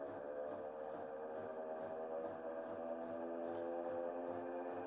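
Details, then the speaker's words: Bosch washing machine on spin cycle, complaining of noisy spin and clothes left wet: loud, steady droning whine with a throbbing pulse, abnormal for spinning, from worn motor bearings. "that's not a normal sound for a washing machine to be making when it's spinning."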